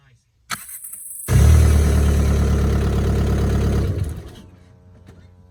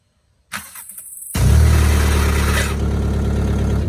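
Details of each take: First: Mk4 starter test after removing the starter for a whining noise after every start: the starter spins the engine briskly, about three turns a second, with no whine, sounding healthy; the whine was a dry starter needing grease. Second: VW Mk4: starter cranks, engine catches, then a thin high whine over the idle for a couple of seconds after every start; owner suspects a dry starter needing grease.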